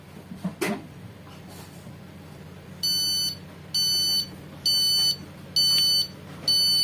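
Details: Epson LX-310 dot-matrix printer that won't pull paper: five high beep bursts about one a second with no carriage movement and a blinking indicator light, a paper-jam error; a carriage drive fault is suspected.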